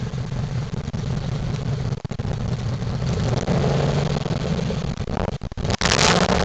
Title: 1998 Ford Crown Victoria Police Interceptor exhaust leak drive by